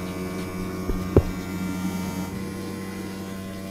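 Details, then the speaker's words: Bilge pump on a 14 ft alloy boat, sat in a barn for years, switched on by its silver button: steady electric hum with constant tone, no grinding or rattle; pump working properly. "pull that silver button mate and we'll see if the pump works there we go perfect that's working that's how you flush the water out of the boat"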